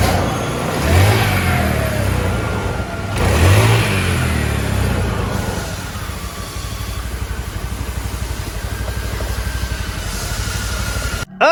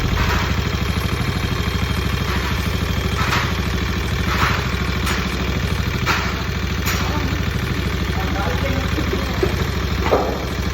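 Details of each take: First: Carbureted Honda Beat scooter after an oil change (engine had been run almost dry of oil): it revs twice, then settles into a steady, even idle with no knocking or rattling. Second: Carbureted Honda Beat scooter idling with a busy metallic clatter from the engine: cam chain slack with age, chain guide sunk, main cause of the noise; piston to be replaced.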